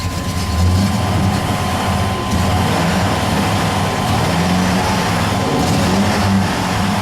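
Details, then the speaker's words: Dually truck, no trouble code set: loud, steady drone that holds high and never settles after a hot restart; runs great until shut off, then must be held to keep running; hissing heard on throttle, cause unknown. "as long as I don't shut it off it runs great but if I shut it off got to hold it to the"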